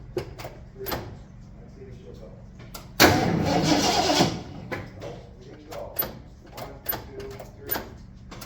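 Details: 1974 Ford F-250 farm truck with a newly fitted battery: about a second of steady starter cranking with no firing; it cranks but won't start. Said to be tuned up, so a fuel supply problem is suspected; told to pump the pedal.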